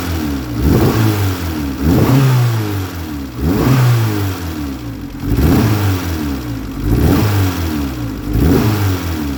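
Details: Engine blipped about every second and a half, with rough popping backfires in the exhaust as revs fall; a misfire and a visible exhaust leak are suspected as the cause, unconfirmed.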